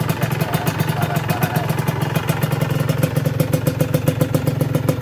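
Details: Honda NSR150R two-stroke on Enviro oil, still smoking: crisp, rapid ring-ding popping at a fairly even idle with a sharp exhaust crackle, healthy.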